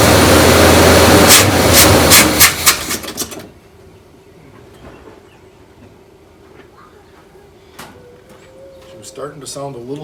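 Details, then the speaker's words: Neglected 1972 Buick Riviera Boat Tail big block, parked 5–7 years, started after filling the carburetor bowls: loud, fast, even lifter clatter right after start, then it quiets once the oil pump kicks in. Lifter clatter before oil pressure. "and then the oil pump kicked in so it's good i was just ready to shut it off and then all of a sudden it quieted out in the oil pump so you heard that too i'm sure"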